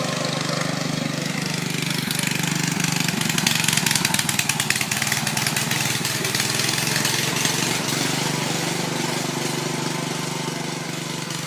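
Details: Riding mower with its engine cleaned of water and given fresh oil, started via a jumped solenoid on choke: loud, raw, rapid popping with ragged firing pulses. The muffler isn't attached right, so exhaust leaks and it backfires.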